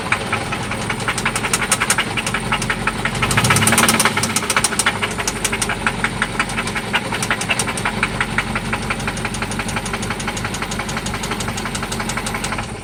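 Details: 1995 Toyota Celica ST after an oil change and new spark plugs: sharp, regular metallic knocking about three per second over the idle, seemingly from one spot; internal engine knock, source not yet known.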